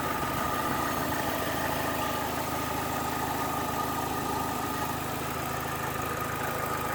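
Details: Opel Astra H GTC 1.8 automatic at idle: a light, fairly quick tick, roughly three per second, on a steady idle. The source is unclear.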